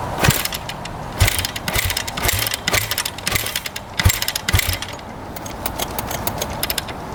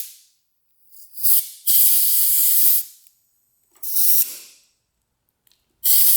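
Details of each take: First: 2009 Kawasaki KX250F four-stroke dirt bike, original carb, choke out, fuel on: repeated kick-over strokes with soft, uneven thumps and no firing; won't start, feels like pretty low compression. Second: 2009 Kawasaki KX250F that won't start, leak-down test at about 15 psi at top dead center, engine stopped: short hiss bursts with quiet gaps, faint leakage, no bubbles at radiator, none from exhaust; rings, valves and head gasket hold well.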